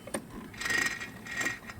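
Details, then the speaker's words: 2008 Honda Recon abandoned 15+ years, pull-started after it shut off while running: each pull gives a light, free ratcheting click with no compression; engine turns over freely, owner suspects a broken timing chain. "I'm sure you guys know what that is and what that sound is. So, yeah, it busted a timing chain."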